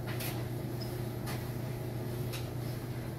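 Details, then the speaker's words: Squeak about once a second over steady hum as the drum turns in a 16-year-old dryer, from four worn drum glides; replacing the glides fixed it and the squeak was gone. "not sure if you can hear the squeak or not but as the drum turns it makes a squeaking sound"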